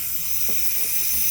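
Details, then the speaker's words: 2018 Audi A8L air suspension during compressor and valve block replacement: short steady hiss of air venting from a disconnected line, fairly weak, less air than the black line. "I just wanted to show the air release."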